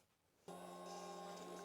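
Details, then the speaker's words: Old motorcycle unused for years, new battery, key turned on: silence, then a sudden steady electric hum with a faint whine; fuel pump primes normally, so the system has power. "I heard a fuel pump Prime so we do know that we have power to the system cuz the fuel pump just turn on Prime the system turn off"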